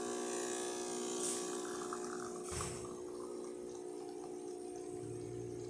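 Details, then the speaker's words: DeLonghi Magnifica espresso machine after full service tune-up (cleaned, calibrated, moving parts lubricated), test-brewing a shot: very old vibratory water pump gives an even, steady buzzing hum with water trickling, no rattle or labouring; still strong, no replacement needed. "This sound coming from the water pump. It's really old but still strong, so I cannot say like we need to replace it because it's still working perfect."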